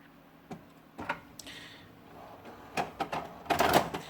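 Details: HP Deskjet F4480 printer that jams paper and makes internal noise: scattered mechanical clatters and grinding bursts as paper is pulled in, then a louder rattle. Cause suspected, not confirmed.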